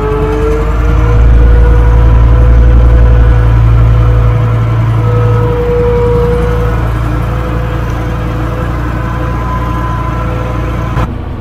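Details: 12-ton six-wheel diesel grader after a new drive chain, repairs and hydraulic oil brought to the right level: a deep, even diesel rumble easing down to a steady idle with no knocks or misses. Normal idle; it runs sweet.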